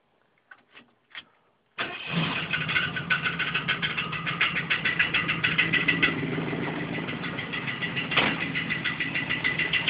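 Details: 1969 Mustang coupe with automatic, first start after engine install: after a few cranks it fires and idles with a fast regular metallic tick-and-ring over the exhaust burble, and it revs; unidentified ringing/knocking noise.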